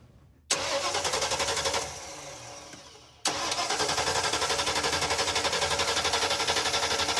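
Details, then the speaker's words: Ford Ranchero with 302 V8, long-sitting, first start with fresh gas, started by jumping the starter wires, leaking fuel line: cranks briefly, catches, stumbles, then restarts and settles into an even, steady idle; runs healthy. "woo it's alive wow that sounds all right"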